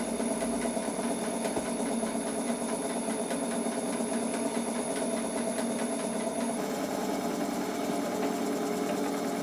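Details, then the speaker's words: Rebuilt gas-fired model steam plant on its first live steam test: the initial knocking from the piston hitting water at each end of the stroke soon stops, leaving light, even chuffing from the small engines; running smoothly. "the knocking soon stops and the engine runs smoothly"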